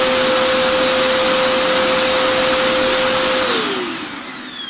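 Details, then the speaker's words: Vax Power U84-M1-BE 850 W vacuum cleaner motor after repair, bench-tested before reassembly: steady high whine with clean, even tone, no rattle or rubbing, then smooth spin-down; sounds normal. "That sounds much better now. That sounds pretty normal. So we have actually done something constructive."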